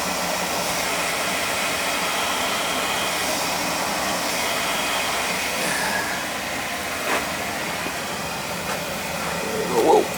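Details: Newly installed oil boiler replacing a 35-year-old unit, first-floor thermostat calling: steady, even roar with smooth airy rush, no pulsing or sputter; oil burner firing cleanly and holding flame.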